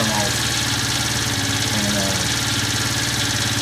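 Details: 12-year-old Chinese scooter, about 430 miles, now starting after weak-battery no-start was fixed with a charger boost: small single-cylinder buzz holds a steady idle with no stumbling or dying out; sounds healthy.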